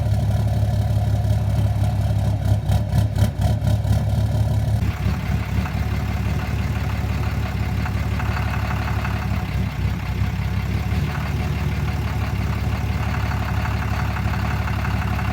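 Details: 2013 Cummins 6.7 diesel, fully deleted, rough idle with low uneven knock and speed surging; burps off throttle and returning to idle, runs fine at open throttle, FCA replaced without fix, no check engine lights.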